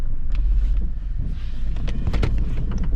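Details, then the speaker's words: 2nd-gen Honda CR-V (2001–2005) on a test drive with a P0135 upstream O2 sensor heater code: deep road rumble with loose, irregular metallic rattles, which the owner thinks is something in the exhaust. "Got a little rattle going on. I think that's something in the exhaust."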